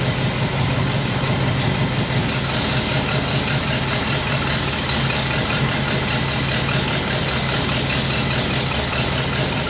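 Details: 1960 Pontiac Bonneville V8 with AFB carb: irregular stumbling low idle rumble with no crisp rhythm; rich mixture with points dwell extremely high, set off the six-cylinder scale instead of the eight-cylinder one.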